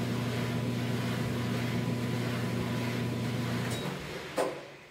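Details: Dryer, model PDVH515EF0W, after drum bearing replacement that fixed a shrieking noise: steady low hum with soft even whir, no shriek or squeal, winding down to a click at stop; drum turns quietly.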